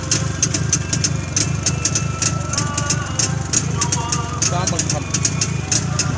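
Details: Freshly rebuilt Jawa 350 two-stroke, original sound: steady, even idle with a crisp rapid pop and no knocks or misses; normal healthy idle.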